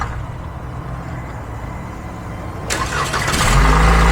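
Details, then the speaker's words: 2014 Chevrolet Impala, 150k miles, in for needing regular jump starts and flickering radio/dash lights: brief even cranking, fires within a second, steady idle; normal cranking and start, voltage drop at battery connector plate during crank measured fine. "So, 23 volts of a voltage drop during cranking, which is perfect."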